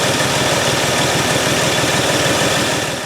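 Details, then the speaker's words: 2005 Ford Freestar 3.9L V6 warming up at idle after an engine swap and uncrossing plug wires 5 and 6: uneven stumbling low pulse, about four beats a second; misfire, aftermarket plug wires suspected. "yeah she got a misfire"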